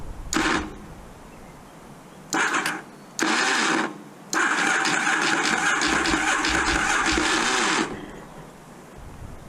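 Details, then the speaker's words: Roughly 40-year-old 1980s 750 V-twin motorcycle: several short starter bursts then a long three-second crank, engine never fires; owner suspects the common 80s 750 starting issue, crankcase cover seal needing work. "I did some research, and it looks like this is the starting issue that plagues all 80s 750s."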